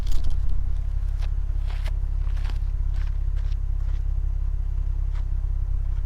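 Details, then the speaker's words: Lexus RC350 with PPE headers, resonators added, Invidia mid-pipe swapped back to stock mid-pipe, recorded under the car: deep, steady exhaust drone with a few light clicks, no rattle or buzz; earlier rattle/whoosh about 85 percent gone. "the noise is gone like 85 percent"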